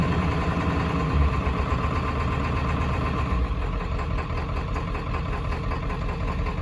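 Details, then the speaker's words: 7.3 Powerstroke diesel running after sitting 10 years, fresh oil and fuel filter: loud uneven, lumpy clatter at idle, shaky and noisy like a miss; owner suspects injectors but can't read live data. Sounds healthy when revved. "Little shaky, little noisy at idle, like it's got a bit of a miss. I don't know, could be injectors."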